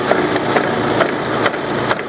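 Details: Car with a 124 engine idling with the timing cover off: sharp, regular knocks about twice a second over a thin engine note, less obvious at higher revs; timing belt teeth stripped, still driving, belt to be replaced.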